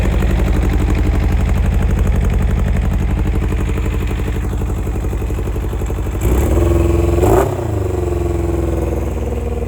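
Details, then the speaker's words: Kawasaki ZX-7R motorcycle at a lumpy, choked idle with a fast, even top-end ticking rattle; owner mentions a breather valve being removed (a known issue) and carbs needing cleaning or rejetting; cause unconfirmed. "it sounds more like a rattling sound up here he did say something about taking this uh Brea valve out which apparently is a known issue with these"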